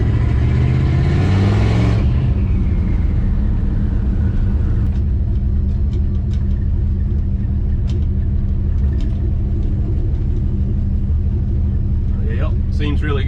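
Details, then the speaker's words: 1969 Plymouth Valiant 360 Magnum, GT45 turbo, FiTech EFI, new heads after blown head: steady even rumble, smooth firing, no knocks or misses; normal smoke burning oil off, no leaks, runs great. "looking good normal smoke burning oil off and stuff nothing on the ground runs great i think we're good"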